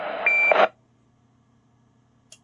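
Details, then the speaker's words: Early-1980s Formac 120 AM/FM CB radio after repair, receiving on AM channel 25, where local AM reception is scratchy. A short burst of hissy audio ending in a clean roger beep; reception sounds normal. "yeah sounds uh quite good to me"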